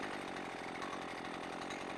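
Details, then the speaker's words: Husqvarna 128LD string trimmer two-stroke after carburetor low- and high-speed screw adjustment from 1¼ turns out: steady, even idle buzz without hunting or sputtering, not too rich; the carb tuning sweet spot. "okay that that might be the sweet spot right there ising pretty good it's not it's not too rich"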